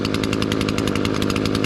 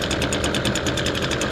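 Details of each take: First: Echo SRM-225 two-stroke weed trimmer after removing the stopped-up spark arrester that caused bogging on trigger: high crisp buzz held at speed with no stumbling; normal running, root cause too much oil in the fuel mix. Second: Echo SRM-225 two-stroke weed trimmer, cold start on choke, before repair: high steady buzz with a rough pulsing, restricted edge and heavy exhaust smoke; starts fine but bogs down when trigger is pressed.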